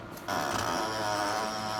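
Quiet, then at a quarter second a loud steady mechanical whirr and rattle kicks in and holds; abnormally loud startup, cause unknown.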